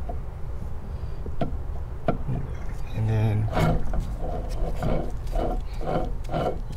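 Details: Toyota AE86 Corolla rear axle bearing removed from the axle tube and spun by hand; low gritty growl with rough uneven pulses; bearing worn out, shown before replacing the bearings and oil seals.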